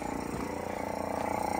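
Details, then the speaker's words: Nissan 300ZX Z31, engine cranked but did not start; with the key in Run a small electric motor up front makes a steady buzzing whir with a fast, even flutter, engine off; the owner wonders if it is an evap pump, cause unknown. "the key's in the Run position it is whatever's in this I don't know if this is some kind of evap pump but we'll have to do some more research and see what's going on here"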